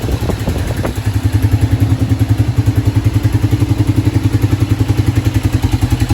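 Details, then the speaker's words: 2006 Kawasaki Brute Force 650 ATV at idle: heavy, regular knock at about three and a half per second over a lumpy idle, deep bottom-end sound; cause suspected, not confirmed. "2006 kawasaki brute force 650 as you can see there um it's got a pretty bad knock just like the last one that you saw before this"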